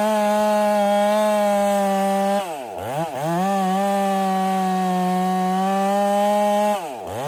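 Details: Ported Husqvarna 385 chainsaw during break-in, tune left slightly rich with a little top-end burble, cutting very hard oak: crisp steady high-revving note that sags briefly twice then snaps back; smooth, normal cutting under load.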